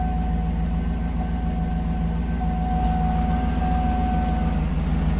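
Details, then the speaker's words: 2007 GMC Yukon Denali XL 6.2 L V8 after repairing a no-crank no-start from a down low-speed communication network, starts and settles into a steady even idle with deep low rumble and faint constant whine; runs clean and healthy. "Fire it up. I'm sure she's gonna fire. Whee! She goes."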